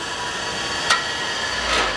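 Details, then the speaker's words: Scrap-saved single-phase air compressor motor coasting down after switch-off. A sharp metallic click as the centrifugal start switch drops back in; the switch is working normally. "You just heard the centrifugal switch kick back in."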